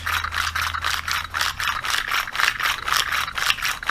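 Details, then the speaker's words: 80cc motorized bicycle engine pull starter after bushing pressed back in: two pulls a second, dry scraping rattle; slight rubbing is normal since the plain bushing has no bearings and isn't centered, spring runs without friction. "is no you're always going to hear a little granny because there is no bearings in here and actually this bushing as you can see the space right here and right here and right there is not centered okay okay so and you're going to have some rubbing in here"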